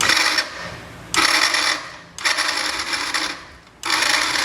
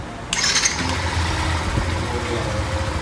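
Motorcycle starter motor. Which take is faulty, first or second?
first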